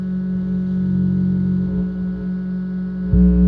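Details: Ampeg SVT-3 Pro bass amp: steady low buzzing hum with fixed tones under the signal, jumping louder near the end; owner suspects cooling-fan EMI bleeding into the signal, intermittent, sometimes bad, sometimes unnoticeable; source unconfirmed.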